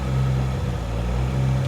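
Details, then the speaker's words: 2JZ engine with a mechanical 90 mm throttle body, at idle after wideband fuel feedback correction was turned off: a deep, steady idle with an even low burble and no hunting or surging. A normal idle, sounding rowdier than before. "but it sounds so good like it sounds like a 2J now and it sounds way rowdier"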